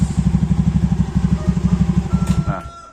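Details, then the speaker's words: Honda KOJ-series scooter (Beat, Scoopy, Genio) CVT after fixing mouse-like squeal, CVT cover refitted: even single-cylinder idle, soft thumps, no squeal, then shut off; normal idle. "Oke, suaranya udah hilang ya. Udah nggak ada lagi suara berdecitnya, udah jadi halus."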